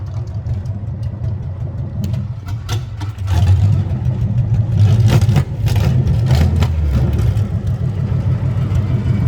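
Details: 1970 Chevy C10 V8, first drive in many years, gives a loud, uneven, stumbling idle with irregular low thumps and surges; owner suspects the carburetor and timing, possibly bad gas, cause unconfirmed.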